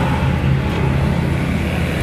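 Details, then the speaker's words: Motorcycle (CB125-type single) after cam bearing repair, previously sounding like it needed an overhaul: runs with an even low hum, no knocking or top-end tapping; engine noise gone, healthy. "Okay, so ayun, naayos na nga natin yung motor ni bossing at ito lang yung talagang naging sira sa motor ni boss. Tanggal na rin yung ingay ng kalaste ng kanyang makina."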